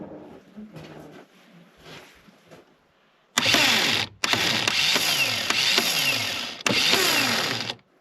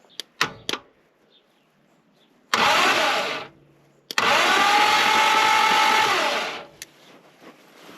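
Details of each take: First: Reliant Scimitar GTE revival project, starter powered directly from a battery with jump leads: three quick bursts of fast, high whirring, each fading with a falling whine as it spins down. The starter turns strongly and works normally. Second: Reliant Scimitar GTE revival project, spark plugs removed, cranking with the ignition apparently off: two long, steady whirring bursts of a few seconds each, no catch or firing. The engine turns over smoothly but does not start.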